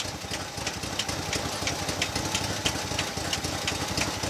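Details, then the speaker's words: 1965 Chevy C10 small-block idling after a fuel pump check showed the pump good: a sharp light top-end tick about three times a second over a rough idle; suspected number one cam lobe going flat or a stuck lifter. "so my [Applause] thoughts are that well here let's look at the the bright side the fuel pump's good fuel pump's probably really good"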